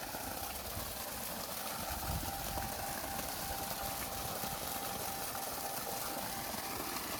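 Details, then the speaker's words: 2 HP water pump motor run on a direct line with the faulty switch bypassed, pumping water: steady even hum with a faint mid-pitch whine and no knocking or grinding; motor running normally. "এই যে direct motor, switch ছাড়াই মোটরটি আবার পুনরায় চলতেছে।"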